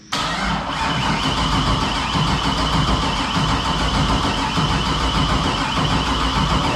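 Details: Nissan 240SX with LS V8 swap, startup tune being loaded, after fixing a bad ground: starter spins the engine at a steady cranking rhythm for several seconds but it never fires; RPM signal present, spark being checked, cause not confirmed.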